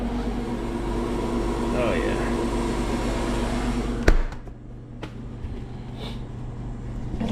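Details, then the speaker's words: Perlick bar unit, one condensing unit serving two reach-in coils, during TXV change-out after a good defrost: steady low electrical hum under the unit's running noise from the energized solenoid; normal solenoid valve hum. "Yeah, she got a good defrost. You hear the solenoid humming."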